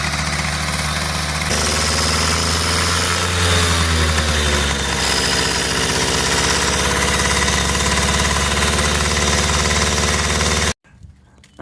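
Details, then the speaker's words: 1980 Honda Express II two-stroke scooter: a fast, steady buzzing runaway idle that won't settle. No air leak found; the carburettor idle circuit is suspected. "i'm going to check the idle circuit maybe i missed something in the idle circuit because this thing will not idle and has run away idle and i can't find an air leak anywhere"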